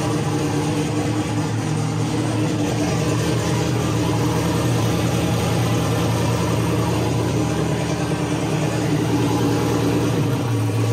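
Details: Ford Mustang with single-turbo LS-based L33 V8, first start-up after turning off the ignition timing offset: steady, even idle with deep low rumble, no knocks or misses; known vacuum leaks remain.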